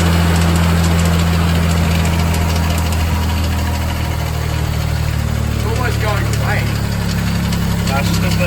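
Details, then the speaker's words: Nissan R33 Skyline at idle and revving: steady hum with a faint whirring chirp that speeds up with revs, traced to the lower engine area; AC compressor noise, AC pump suspected, power steering first considered. "It's your AC pump. Is your AC on the car turned on?"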